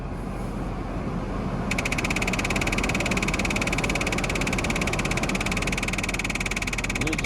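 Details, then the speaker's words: Jeep heater after a snowy drive, after defrost was switched off and heat turned back on. A fast rattling tick of about three to four beats a second starts over the fan rush. Owner suspects the blower motor, not the blend door, since speeds work. "sounds like the blower motor i don't think it's the blender door because the speeds work"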